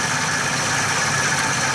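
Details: 2011 Ford E350 van, constant front-engine noise mostly at idle, owner feared cam phaser or timing chain; steady whirring hiss with faint high tones from belt drive, traced by stethoscope to worn idler pulley and tensioner with very old worn belt.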